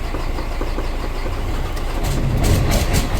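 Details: Mercedes Axor diesel truck after repairing interrupted CAN wires and GM module starting fault: catches and settles into a steady, even low rumble at about four firing pulses a second, slightly building; sounds healthy.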